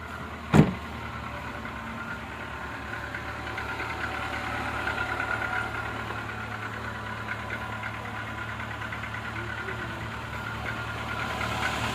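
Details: Renault Logan 1.6 K7M engine started after long standstill: steady low idle with a faint, even tapping over it just after start-up; knock of unknown origin at idle.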